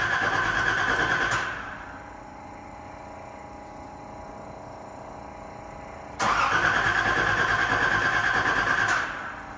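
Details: Nissan 300ZX Z31 after fuel tank, fuel pump, new battery and clutch master/slave cylinder work: two roughly one-second bursts of steady starter whirring with no firing; cranks but won't start, cause not yet investigated.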